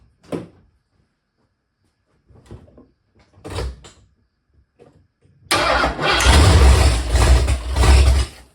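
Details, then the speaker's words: First start of a 347 stroker in a 1976 Mercury Monarch build, temporary distributor meant for an MSD box, throttle not yet hooked up: a few labored cranking bursts, then a lumpy, uneven run; the ignition timing is far too advanced. "okay it will run the timing is just way too far Advanced try again with less timing"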